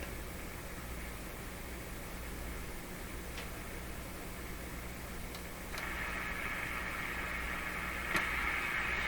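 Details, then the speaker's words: RCA Victor A38 shortwave tube radio on the B band, signal generator running near 1 MHz, magic eye showing an odd wave: steady hiss with a faint buzzing hum and a sudden jump in noise. Interference, suspected to come from the shop. "jeez is it something getting right into the radio from my shop"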